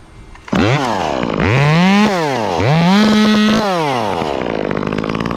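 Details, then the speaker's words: Chainsaw cutting with the bar tip, not fully loaded: screams cleanly when it bites, then breaks into a burbling, uneven bark as revs climb light, like the 500i; four-stroking off load, attributed to the saw's design. "it does that bark similar to the 500i it's just the way these saws are designed it's just how it is"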